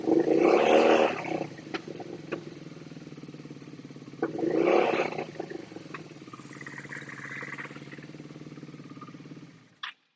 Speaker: obviously you can hear the other cylinder kick in when we spray into the front carb the revs just pick up on the one cylinder when it's just sprayed into the rear cup